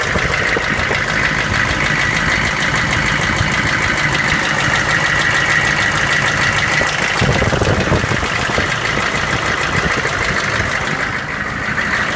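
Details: GM K2500 6.5L diesel running for the first time in a year: loud, rough idle with an uneven knock about three times a second; cause still unknown.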